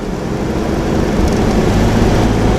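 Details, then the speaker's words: 1992 Toyota 4Runner 3.0 V6, five-speed, at 3,000–4,000 rpm after replacing a locked-up, wobbly fan clutch with an aftermarket part: steady drone with no roaring fan, much quieter than before. "so there's three three and a half 4 000 rpm it is much much much quieter so that's nice"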